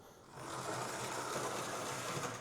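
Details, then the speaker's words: Old Hornby Class A4 "Mallard" ring-field locomotive with CD motor conversion, cleaned and re-oiled after a botched DCC conversion, on test track drawing about 100 mA: short steady buzz, even tone, no whining; normal motor running. "Okay, power on. That doesn't seem to be making the horrible whining noise that I've heard come out of CD motors before."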